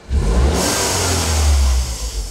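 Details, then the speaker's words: Peugeot 208 GTI left three years under a tree, warm at about 90°C: a sharp rev, then a hissy whoosh as the throttle is released. This is the electric dump valve venting, normal, not a leak. "C'est quoi ce bruit de fou? Ah, putain! Mais c'est normal, c'est pas une fuite. C'est une dumb valve électrique, c'est un truc."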